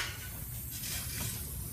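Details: Split in a shop compressed-air hose leaking with a steady, even hiss over low background rumble, heard from the pit during a crankcase air-pressure test; the air is not coming from the crankcase.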